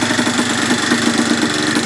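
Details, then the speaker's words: 1980/1981 Yamaha IT175 vintage two-stroke enduro single, running after carb refit: crisp, even ring-ding buzz with steady fast beat, no misses; runs clean and healthy, though a petcock O-ring fuel leak was found. "love the sound of a good-sized one-liner two-stroke oh this is gonna be fun"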